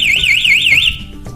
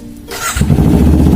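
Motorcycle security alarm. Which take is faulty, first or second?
first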